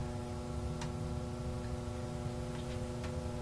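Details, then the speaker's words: Tektronix 547 oscilloscope cooling fan after oiling its bearings hums at a steady speed with scattered light ticks; it is up to speed but still not turning smoothly, though smoother than before. "And it still doesn't turn very smoothly, but it turns a lot smoother than it did before."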